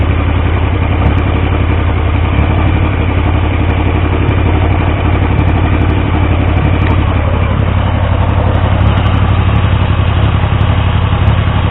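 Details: Triumph T150V triple after head and cylinder rebuild to cure oil leaks: steady deep idle, even firing beat, light mechanical clatter, no obvious fault; oil pressure around 40 psi under 2000 rpm, oil return good; normal idle.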